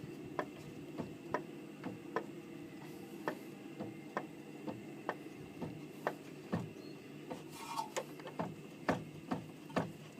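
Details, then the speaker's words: Light, sharp knocks about two per second each time the steering rod near the rack boot is pushed by hand. Steering rack or tie rod play suspected, not confirmed. "а вот на машин есть такой стук как бы под рукой держаться за пыльник да вот я тут какой-то легкий есть"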